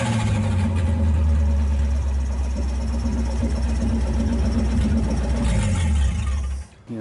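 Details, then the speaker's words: 1931 Ford 5-window with Cadillac flathead V8, long off the road, no exhaust or air cleaner fitted, generator unwired, gauge about 155; loud deep even idle with steady low beat and no misses: normal running, only unmuffled. "kinda sounds fine I know it probably sounds like it's wide open because there's no exhaust"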